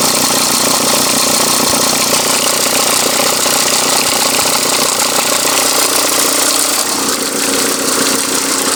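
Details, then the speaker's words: VW Touran MkI 1.9 TDI diesel idle before belt tensioner replacement: uneven light clatter about three taps a second over engine rumble, belt flexing up and down; worn tensioner, sounded worse earlier. "Sounded a lot worse before, but you can see the belt flexing up and down like a fiddler's elbow."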